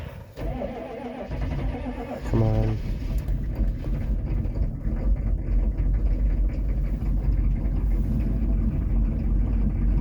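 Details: 1995 Chevy 3500 one-ton dump truck, 6.5 diesel with glow plugs, cold start with a little gas: slow uneven cranking about two seconds, then rough heavy idle and smoke; hard cold start.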